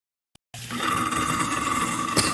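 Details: Garbage disposer (food disposer, Badger/InSinkErator type) switched on gives a harsh steady hum with rattling chatter instead of free spinning; a beef rib bone is lodged and jamming it, freed by turning the drum with an allen key, tongs, and the reset button.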